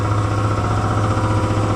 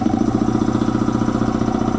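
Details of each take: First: Air compressor after tightening its loose drive belt (oil also freshly changed): steady, even low thumping with constant drone, no slipping squeal, cutting out at 175 psi; running normally. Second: Air compressor slowing down after an oil change to synthetic oil, previously thought to be tying up: pump thumps slowly and evenly, about two and a half strokes a second, well under speed; the drive belt was found loose.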